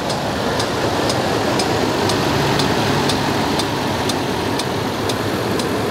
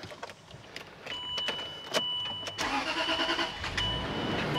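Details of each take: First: Land Rover LR3 idling well, then starting to misfire, with light, sharp ticks about twice a second over the idle rumble; top-end tick of unconfirmed cause, owner has ordered an injector. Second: Land Rover LR3 after water pump replacement, following a cylinder 6 misfire and check-engine light on the trip: quiet, then engine catches and settles into steady, even idle with no stumble or miss; running normally.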